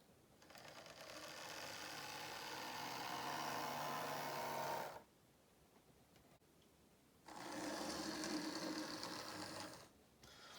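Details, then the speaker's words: Model locomotive running on temporary DC flexi-track: smooth, steady whirring rising in two even runs with a pause, no stutter or grinding. "it's a fairly solid model in the fact that it's a good runner"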